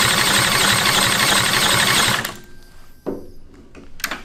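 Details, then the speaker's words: Retired military generator engine (4A032 four-cylinder or 2A016 two-cylinder) fitted with an exhaust: it fires quickly and runs evenly for about two seconds with no misses or knocks, then fades. Normal running. "it's crazy how much different it sounds than ours now that it has the exhaust oh yeah that that one sounds so much better than that"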